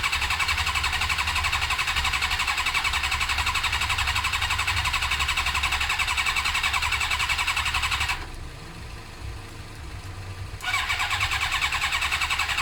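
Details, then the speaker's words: Suzuki GSXR 600 cranking on starter with brake cleaner added: steady fast churn about four beats a second, never catches; compression sounds good but no spark. Eventually fixed by fitting a second-hand original ignition unit containing the resistor. "sounds good for my compression point of view I feel like it's not sparking"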